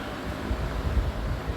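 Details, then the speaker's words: Vintage Emerson box fan after cleaning and motor oiling, running on high with perfect-toned smooth even low whoosh, no ticks, rubbing or wobble; not the quietest but healthy normal running. "I mean, it's not the quietest fan, but I really like the way these sound. There's only a handful of these box fans that I really like the sound of, and one of these is one of them."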